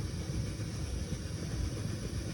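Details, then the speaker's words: Coleman Peak 400 liquid-fuel stove lit, pumped, warming toward blue flame: low uneven rumbling chugging pulses with almost no high end while generator warms up. "I don't know if you guys can hear that, but it's chugging away. It's starting to look real good."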